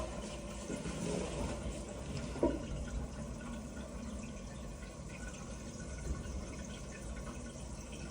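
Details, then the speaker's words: Toilet cistern that kept overflowing, refilling after repair with the case left off: steady rushing water with an even, unbroken flow as the water rises. The refill sounds normal, with no hiss or gurgle. "so now it's been filling up for a little while I can hear the Water Rising"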